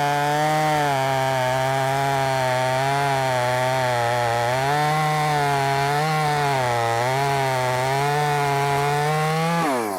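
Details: Brand-new, unbroken-in Wemars 6220 clone chainsaw on shakedown run: strong steady buzz dips slightly and recovers as the chain bites wood, pulling cleanly without bogging or surging; sounds powerful, revs good; normal cutting under load.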